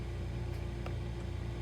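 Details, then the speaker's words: Frigidaire side-by-side refrigerator (LFSS2612TF4) after replacing the stuck fridge air damper (part 242303001): steady low hum, damper opens with no more clicking, one soft end-switch click; normal operation. "to allow the air to blow in no more clicking noises just the odd the end switch there The Click just to tell the motor to stop turning"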